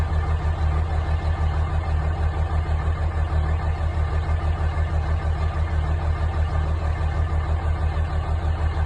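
Cold diesel idles with a regular loping thump, a little over one per second, consistent with a faulty injector.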